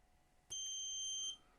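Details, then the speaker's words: ASRock B450 Steel Legend motherboard with missing DDR voltage: multimeter gives one solid high-pitched continuity beep, nearly a second, across the removed capacitor, confirming it was shorted; board no longer shorted after removal. "for a very short second you were able to hear there you can hear it that capacitor is was definitely shorted"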